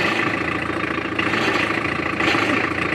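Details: Tata Indica idling: a steady, harsh hiss and whine that swells slightly as the steering wheel is turned either way. Power steering noise problem.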